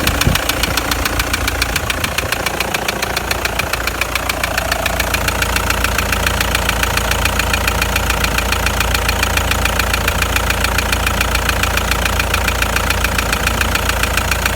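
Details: Toyota Land Cruiser Prado 120 1KD-FTV turbodiesel, 366,000 km, idling with a sharp regular knock over diesel clatter. It began after a mountain-pass climb with a trailer and a temperature rise. Injectors bench-tested OK; endoscopy reportedly found scoring in cylinder 3.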